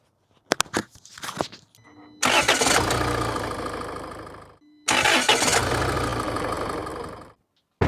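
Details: Engine cranking with mic by the starter, ANCEL BS400 super starter connected to the battery: two brisk cranking bursts that catch quickly, no slow labouring turnover; starter sounds stronger, normal cranking and start.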